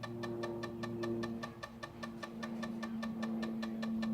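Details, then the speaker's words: Zenith Z-NoteFlex NTB005 laptop booting DOS after disk I/O error; sharp regular ticks two or three per second over faint whir, drive still briefly working then data errors reading drive C: failing hard drive ticking. "oh that sounds like crap wow that really sounds like crap it seems to still be working but damn that sounds"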